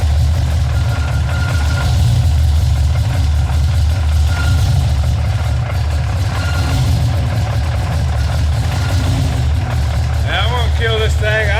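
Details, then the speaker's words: Ford F-150 with 351 small-block bored 30 over, Pro Max aluminum heads, carb, long tubes, retrofit roller cam with Proform roller rockers; deep even V8 rumble with diesel-like clatter on top heard all around truck, blamed on noisy rockers: top-end tapping noise. "but uh these things are very noisy this 351 sounds like a 73d sword idol and i cannot stand it you can walk around the whole truck and you hear the rockers"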